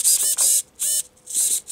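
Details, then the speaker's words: FCX24 steering servo after a gear/horn repair using parts from a dead Emax servo: short, high buzzing bursts about three times a second with the remote untouched. The servo jitters at rest, as it did before the repair; the cause is unknown. "I'm not touching the remote as you can see my hands on the truck and it's jittering I don't know what that's for it was doing it before"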